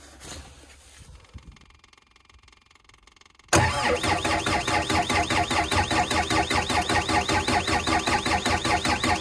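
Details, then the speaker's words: Six-and-a-half-ton digger that stopped suddenly three weeks earlier: starter cranks at a steady, even beat of about two and a half per second but never fires; cranking kept short to save battery. "I would crank it for a bit longer but I just I really don't want to flatten this battery"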